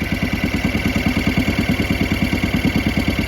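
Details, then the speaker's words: 2011 Kawasaki Mule 610 XC, overdue for service: engine chugging about three beats a second with a thin steady squeal on top; owner suspects the belt or one of the clutches. Squeak while running. "I wonder if it might have something to do with the belt or maybe one of the clutches."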